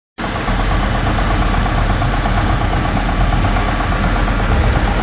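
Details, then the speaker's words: Ford engine, new replacement motor, with a misfire on cylinder 3 at idle: rough, shaky idle with a low rumble and an odd mechanical noise heard from cylinder 1 on both sides; suspected between the two camshafts or the timing chain, not confirmed. "está haciendo un ruido m Yo lo escucho entre el cino número uno de aquí para acá del lado derecho y también se escucha al lado izquierdo"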